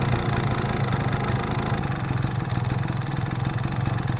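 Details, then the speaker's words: Two-stroke scooter with choke fully off: runs unevenly and pops instead of picking up on throttle, bogging and unrideable. Lean mixture; with the choke back on it runs stably, so the carb problem is being investigated, starting with the air filter. "Вот видите, они увеличиваются. Вот сейчас характерно, смотрите, даю газу, а он не хочет газовать, взрывается как бы."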